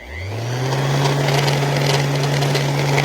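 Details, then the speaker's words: Worn sanding tool used for spot-prime prep on an LS-swapped S-10, sounds like it's chewing on a bag of gravel and barely wants to spin; low hum with a gritty rasp, dragging. Owner plans to replace the sander. "like it's chewing on a bag of gravel and it barely wants to spin."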